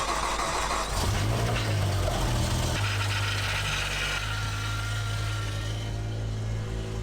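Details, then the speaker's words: BMW M6 V10, first start after engine rebuild and reassembly with battery reconnected: cranks, catches after a second, settles into an uneven, slightly lumpy idle; sounds better than before but unexplained noises remain, cause unknown. "Well, it sounds a little bit better, It does. It doesn't sound as bad. but there are definitely some noises that I can't explain."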